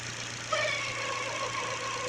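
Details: Engine at idle with a newly fitted Contitech timing belt: a light whirring tick rides over a steady idle. The owner blames the new belt; unconfirmed.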